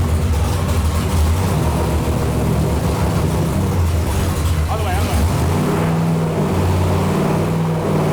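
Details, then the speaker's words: Ex-NASCAR racing V8 (about 750–800 hp) for a 1955 Chevy, on dyno after replacing closed-up number four spark plug: deep lumpy burble blips and settles evenly, now firing cleanly on all eight cylinders. "so we got we found a closed up plug it's definitely running on all eight now"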